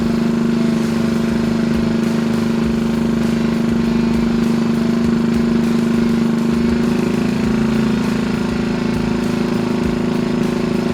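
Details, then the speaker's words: 1964 Honda Super Cub CA102 first run after full top-end rebuild: small single ticking over fast and even at a raised idle, steady buzzing note, no misses or knocks; healthy. "what do you know that sucker sounds good doesn't it drop that idle down just a minute"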